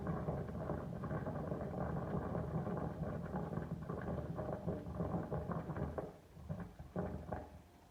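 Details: Daikin Urururu Sarara air conditioner AN40PRP-W indoor unit: quiet, uneven, fairly loud bubbling and gurgling bursts like boiling over a low hum, with no steady rhythm; owner thinks it is the sound of water.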